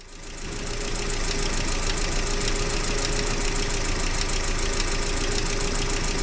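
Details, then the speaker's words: Gazelle Business with UMZ-40216 engine after cylinder head replacement for a cracked head: even idle with sharp regular tapping, about three or four a second, as the eighth pushrod's head catches the edge of its hole; fix: grinding the pushrod. "Когда толкатель полностью опускается, головка толкателя упирается в край отверстия. Это создает тот странный стучащий звук."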